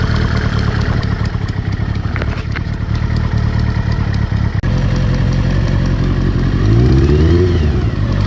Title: Ticking noise, ZR 7S